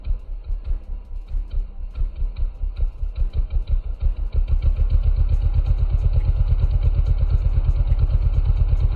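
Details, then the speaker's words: Custom Honda Grom mini bike with Adonoly Racing exhaust, cold start after sitting: sharp, uneven pops quicken into a fast, loud, raspy idle. The muffler is far too open and echoes down the street because its spark arrester is missing. "i can hear the echoing from down the street this thing's so loud i don't have my spark arrester to make the muffler quieter"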